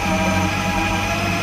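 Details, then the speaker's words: Kids' electric ride-on scooter (12 V battery) running forward with its faulty starter switch bypassed by bridging two wires: a steady, even motor hum with light gear whine and no knocks; the drive motor and gearbox run healthy. "ये आगे चल रहा है चल रहा है चल रहा है"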